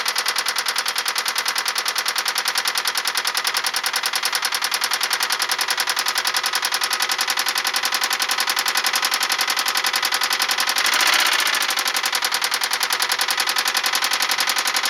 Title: 1999 Toyota Camry Solara 2.2 SE Engine Noise / Knocking (Rod Knock)